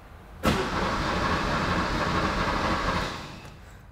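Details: Barn-find Porsche 911 after a cracked fuel soft line, in neutral: starter churns for about two and a half seconds, then drops off without the engine catching; crank, no start, fuel delivery to injectors next to be tested.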